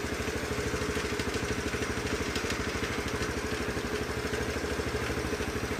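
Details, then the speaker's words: 2007 Honda CT110, all factory, just bought after sitting three years, idling with the cam chain adjusted as far as it goes: a light, even ticking clatter of about three per second; still cam chain noise, and the owner plans to check how loose it is. "But, it's a little bit noisy. But, these things run forever, so I can't see it having a problem."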